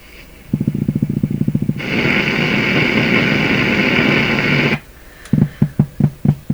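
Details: Canadian PYE Model 39HC radio on a dim-bulb tester: putt-putt pulsing about four per second from the speaker, swelling into a steady drone, then putting again; motorboating at low volume, possibly several oscillations, cause not yet found.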